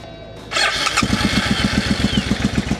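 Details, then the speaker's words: Sketchy Suzuki motorcycle on a new fuel inlet line fed from a bottle. It cranks, catches and runs lumpy on only one cylinder, then is choked. The fuel pump is not heard running, so a fuel supply fault is suspected. "And that's going, but that's one cylinder. We'll choke it. And it kind of sounds like a Suzuki Savage, not an intruder."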